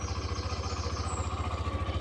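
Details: Hero Xtreme 125R in neutral, engine lightly blipped: quick, even firing pulses with a steady low thump, clean and healthy; owner advises keeping revs below 8 (thousand rpm) to avoid engine noise after about 2400–2500 km.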